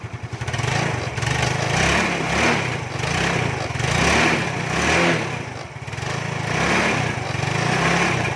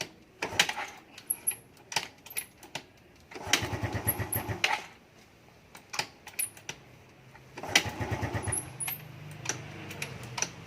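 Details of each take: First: Carbureted Yamaha Fino, first morning cold start by kick (battery dead) after a part was replaced and left overnight: small engine running steadily with gentle rhythmic rev rises and no misfires; keeps running after cold start. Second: Carbureted Yamaha Fino scooter, hard to start only in the morning (about 9 a.m.), starts easily later in the day: several short starter bursts with no catch, then finally picks up into a low idle; hard cold start.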